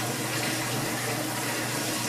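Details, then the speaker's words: Older Kenmore washer, just installed and run for testing: steady rushing water over an even pump hum with no grinding or rattling. Draining normally. "The drain sounds good. The water's going out. It feels solid."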